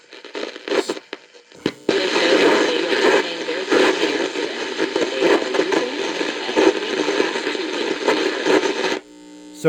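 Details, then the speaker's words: Philco Model 7030 signal tracer/dynamic tester speaker output: signal sounds clean going into the audio output transistors but comes out harsh, distorted and clipped on loud parts; output transistors sound unbiased, cause not yet confirmed. "it sounds good going if If those are the audio output transistors right there, it sounds good going into them, but coming out it's all distorted and clipped and sounds like they're unbiased."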